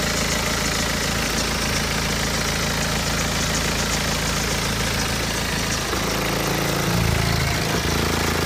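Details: BMW 120d N47 diesel at 125,000 km, cold idle: a light, irregular clattering rattle about three times a second over the clatter, clearer in cold weather. Suspected timing chain, not confirmed.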